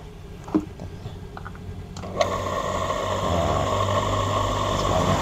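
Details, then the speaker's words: National-type water pump motor after service, bearing not replaced: it starts with a click, then runs with a harsh, gritty hum caused by a damaged bearing. "kasar, suaranya kasar, tapi ini kasarnya karena bearingnya rusak."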